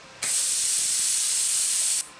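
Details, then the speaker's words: Viv Arc plasma cutter after widening the electrode gap step by step: short steady air hiss with no arc crackle or buzz, fails to strike; gap adjustment didn't help, owner suspects a further internal fault; unit later refunded. "So guys, doesn't look like we're going to have any luck with this at all. I thought we might get away with it just by adjusting the little gap there, but obviously not. There's obviously something more wrong with it than that."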